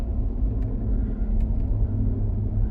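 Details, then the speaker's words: Ford F-150 while driving, with a dead right front wheel speed sensor. A steady low rumbling growl under the road noise. A bad front wheel hub bearing. "definitely got a bad wheel bearing up front"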